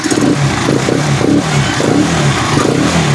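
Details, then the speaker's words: Rusi Chariot 175 trike after a week unused, fitted with the original stock spark plug: repeated throttle blips rising crisply, with no misfire, knock or rattle. It runs healthy. "Yun. Ang ganda pa ng andar niya."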